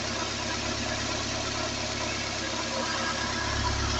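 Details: Peugeot 206 CC S16 engine after replacing hydraulic lifters, new timing and accessory belts and engine mount, warm at temperature: smooth even idle, no top-end ticking, steady quiet run; normal idle.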